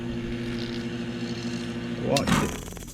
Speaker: and there it is that's the way a pressure switch works all by spring tension very basic simple design